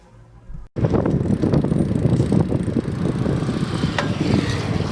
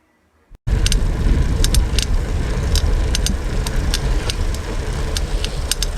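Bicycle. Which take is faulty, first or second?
second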